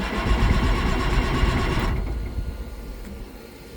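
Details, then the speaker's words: Case STX375 articulated tractor with a Cummins engine: the starter churns about four beats a second for two seconds with no catch, while fuel pressure reads 1 psi and the fuel pump isn't coming on. It cranks with no start; the fuel shut-off solenoid is suspected. "fuel pump is not coming on so I'm going to get the manual onto my laptop and then look up the schematic"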